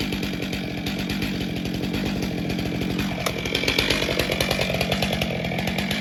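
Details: Stihl MS462 chainsaw after calibration reset (30 s, then wide-open throttle, then idle) making a test cut: crisp, even high buzz that bogs only slightly in the wood, then picks up cleanly; running right.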